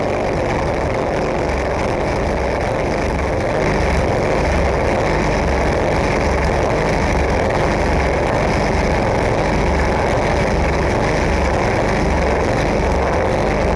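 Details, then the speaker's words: 10 hp snowblower engine on full choke and half throttle, fuel valve closed to run the gas out: runs rough and uneven, missing and stumbling with no steady beat; it sputters and the cause is unknown. "see it just starts like sputtering or whatever you call it when this goes that's what it does I don't know why anybody can help me out because I really want to sell this motor"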